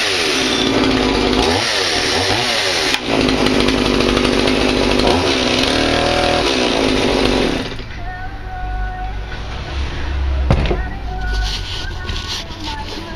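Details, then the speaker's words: Stihl MS180 chainsaw after a carburetor diaphragm rebuild and new spark plug, started cold on full choke: the revs surge and sag unevenly, then drop to a rough idle; when cold it won't take throttle cleanly. "it running it's um it's just quite cold then it won't pick it up very nicely"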